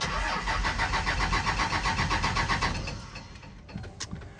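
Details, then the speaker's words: 2001 manual Cummins diesel Ram after adding five gallons of diesel: steady cranking at about four compression beats a second for nearly three seconds, no firing. Cranks, no start; owner suspects the fuel lines need bleeding. "dang it man i think we have to bleed the freaking lines now cause i wasted my few starts i had"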